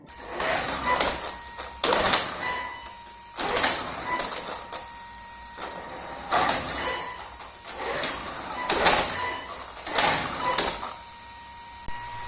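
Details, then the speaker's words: Traxxas X-Maxx 8S with a new Hobbywing Max6 G2 ESC and the stock sensorless motor, wheels on: uneven surges about every 1.5 s, rough bursts over a thin electronic whine; the motor stutters/cogs at low throttle instead of pulling smoothly. "But as soon as I install the wheels and test the truck, I've noticed that the motor is stuttering or cogging really bad, and this is a big letdown for me."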